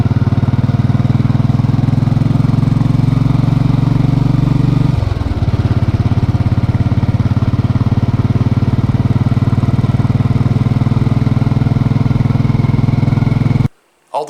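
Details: Motorcycle with dealer-replaced engine (plus starter, throttle body, fuel injector), hot after a short ride: even single-cylinder thump settling to a steady lower idle, no valve tick, quiet valves; normal idle after repair.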